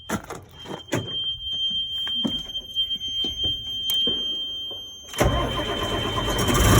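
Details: Cummins 8.3 CAPS no-start, after replacing ECM transient surge suppressor diode (codes: injectors disabled, ECM not receiving power): several cranking thumps, diesel catches at about five seconds and settles into steady even run; fixed.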